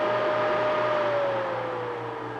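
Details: Adventuridge (Aldi) Peltier iceless electric cooler, 12/120 V, dial set to maximum: steady airy whir with faint hum and slightly falling tone as the fan runs flat out.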